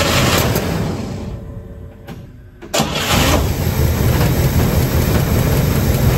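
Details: 1957 Pontiac Star Chief engine after sitting over 10 years, started after fuel pump check and fresh fuel: cranking, brief pause, then catches and settles into steady, even low rumble with no misses; running normally.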